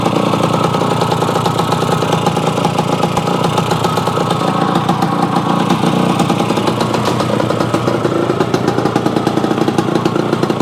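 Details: Yamaha AT-1 converted to CT-1, first start-up after rewiring, oil pump priming and carburetor fix, choke on, pre-mix fuel plus oil pump; crisp rapid even two-stroke popping, clean pickup when revved, no misses or knocks, normal.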